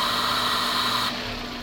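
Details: Cleaned Toyota IAC valve with T and E1 bridged to check timing (10 degrees): loud airy hiss through the port with steady hum, then hiss cuts off abruptly and idle settles; valve working normally.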